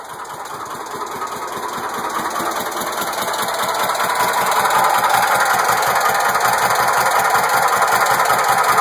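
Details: 1969 Volkswagen Squareback air-cooled engine at start-up picks up from a slow, lumpy beat to a louder, faster chug as more gas is given; it runs roughly and still needs tuning.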